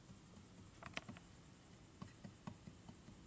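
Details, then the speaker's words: 1961 Harley XLCH Sportster, engine stopped, customer's fresh rebuild under inspection: a few light irregular clicks as the number 4 cam is rocked up and down by hand; a worn cam bushing with excessive clearance. "Now you push down and go up and down. If there's any clearance, it's loose."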